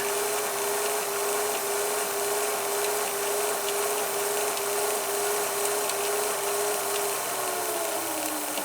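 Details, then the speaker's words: VCR with speed control rewinding a VHS tape near its beginning: thin steady motor whine holds pitch, then drops and slows as the tape drags on the reel; cause suspected, not confirmed. "You know, when it gets towards the beginning, it'll slow down. You can hear it slowing down."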